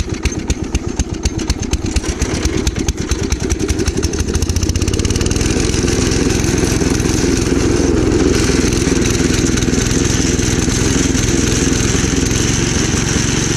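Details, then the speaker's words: Gravely Commercial 12 34" Snow Cannon snowblower, cold start after about a month unused, on choke: uneven, stumbling beat that never quite smooths out; owner suspects a fuel issue; fuel starvation. "they don't know what the issue is here but I have a feeling it's fuel related"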